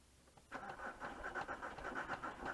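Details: VW Touareg 2.5 R5 TDI 174bhp 4Motion manual, 400,000 km, cold start: diesel fires and idles lumpy and uneven with smoke, loudness swelling and dipping; owner attributes it to bad injectors, getting worse.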